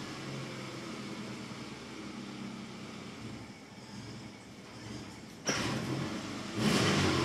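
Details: 2002 Subaru Impreza 2.5RS, fully warmed up, foot off the gas: low idle sags and wavers, dipping as if to stall then recovering; rough idle and hesitation in any gear or rpm only after warm-up, fine when cold.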